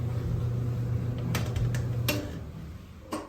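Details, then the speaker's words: GE electric dryer after replacing drum glides to cure a squeak: low, even hum of the drum turning with no squeal, a few light clicks as it spins down; runs quietly. "Remember that horrible squeaking sound from the beginning of the video? Let's see how it sounds now. That sounds great."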